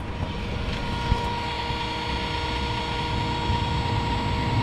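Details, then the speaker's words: Audi A3 electronic parking brake: the right rear motor whirs on without ever clicking home. The scan tool shows an electrical fault with activation above the upper limit and the switch works, so the motor has likely failed; caliper to be replaced. "I personally think that it's not the parking brake button because as soon as I got in the car I tried to engage the parking brake what's happened is you can hear the motor just spinning"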